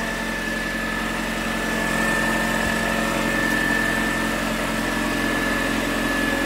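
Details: 2006 Ford Escape Hybrid finally running after sitting about two months and not starting (batteries disconnected, then jumped); smooth even idle hum with faint steady whine, no misses or knocks; engine running fine.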